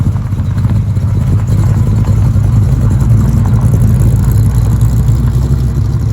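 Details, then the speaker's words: Holden LX Torana V8 with dual tailpipes: deep, raspy bark with a choppy, pulsing rumble; the pipes lack a balance pipe or X-pipe, the typical HQ bark. "it's got that horrible HQ bark and I don't know about you but that sound is disgusting if you know the sound you know exactly what I'm talking about"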